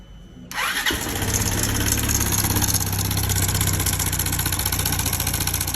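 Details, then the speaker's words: Motorcycle with loud engine noise: starts, then a fast metallic rattle rides over the idle about three times a second; failed cam chain tensioner, fixed by replacing the cam chain. "Problema tava aqui, ó. Esticador da corrente."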